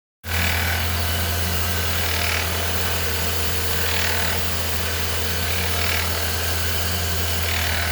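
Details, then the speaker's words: 2013 Ford Fiesta Zetec Rocam engine: steady idle with metallic chattering rattle, thought to be timing chain but caused by worn auxiliary idler pulley bearing; fixed by replacing it. "O problema era o rolamento auxiliar. Troquei a peça. Resolveu o problema de bateção de corrente aqui. Eu achei que era corrente comando, mas não era não, era rolamento, que nem o pessoal falou no grupo aí."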